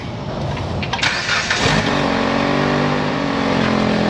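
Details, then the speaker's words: Petrol engine started after coolant refill cranks, catches and settles into a rough idle with a raspy exhaust edge and light rattle from the top: exhaust leaks with rattling heat shield. "Got some exhaust leaks and the top rattles up there. That's all from the exhaust."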